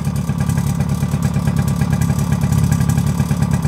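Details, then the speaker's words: Suzuki LT50 two-stroke quad first start after 5 years sitting, on choke: loose, uneven metallic rattle riding over the idle putter at about three per second; rattle from the clutch springs. "That rattling you can hear is the clutch, the springs on the"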